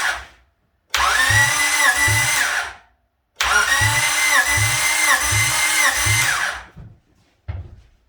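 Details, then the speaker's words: Freshly rebuilt Honda B16 in a Civic, cold, never started, spark plugs out during compression test: two steady cranking runs with even starter whir and regular compression thumps; cranks well, about 150 psi reading, nothing interfering. "It sounds like it's cranking well. Nothing sounds like it's interfering or not moving smoothly."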